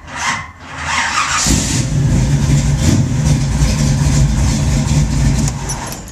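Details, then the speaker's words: 1972 Nova, 468 big-block V8 with roller cam, hot start: starter drags slowly before catching into a lumpy idle; weak crank, owner suspects small trunk-mounted battery or undersized cable. "still feels a little bit weak I don't know why but it was starting better than that this morning"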